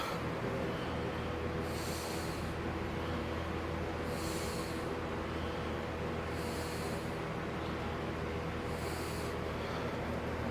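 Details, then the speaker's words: Lasko 4713 fan after contact cleaner sprayed into motor bearings to dissolve dried oil, not yet re-oiled: low steady motor hum with a soft swish every two seconds; fan motor running slowly, likely dry bearings, better than before. "pretty much probably need to be broken in or re-oiled but it's hot better than we saw it last time and you did hear it"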